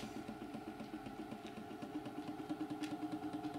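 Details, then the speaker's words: Hornby model train drive car run on track: steady motor hum with a regular tick about three times a second that speeds up with speed, as if something revolving is hitting something. Cause is a universal joint not seated in the gearbox. "you can hear that it sounds like there's something revolving and hitting something we'll say the faster you go [Music] the faster the noise"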